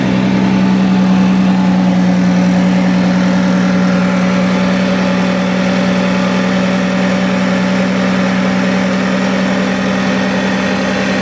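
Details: 2006 Toyota Avalon 3.5L V6, run after reassembly to check the serpentine belt system rattle (it had overheated; water pump was first suspected). Smooth, steady idle with an even low hum and no belt rattle or chirp; the belt drive runs quietly: normal idle.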